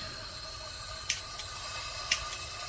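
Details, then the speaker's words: ROVSUN 3-burner outdoor propane stove, 225,000 BTU, 20 PSI regulator: steady, fairly quiet high hiss of propane flowing through the opened valve before lighting, as normal. "Turn your valve here on. Okay, and when you turn on, you should hear the hissing of the propane."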